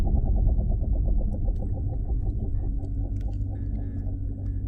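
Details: 2016 Dodge Challenger Scat Pack driving: deep droning rumble with a throbbing pulse about four times a second from a bad driveshaft carrier bearing; fix requires removing exhaust and driveline to replace the dealer-only carrier bearing.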